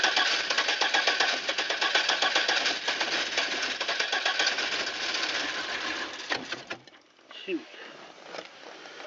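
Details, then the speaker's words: Safari van that would not start after sitting all winter at 14 degrees, now running after a new rotor and blow-drying wet plug wires: fast, fairly steady patter of about four beats a second; engine running, owner suspects an intake gasket leak. "It's probably from cranking it so much. Okay, looks like we got her going."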